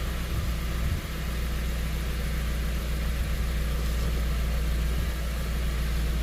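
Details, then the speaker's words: Dodge Caliber with codes P0301/P0300 and a worn, wide-gapped spark plug: a low, slightly uneven idle with an occasional stumble after the codes were cleared. Live data shows misfires on cylinders 1 and 4 and the code returns; the cause is not yet confirmed. "There's nothing on counting. Misfire 1 and 4. It's stuck."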